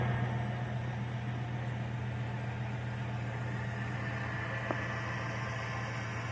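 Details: GM 5.3 V8 at about 220,000 miles idling with a faint thin high chirp from the top rear of the engine, present for 10,000 miles; unchanged with belt removed, nearly gone after adding Marvel Mystery Oil, so internal.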